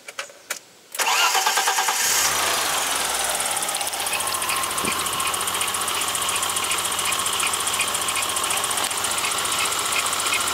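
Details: BMW M20 engine starting and settling into an uneven, loping idle with steady hiss, caused by a vacuum leak from a missing valve cover stud.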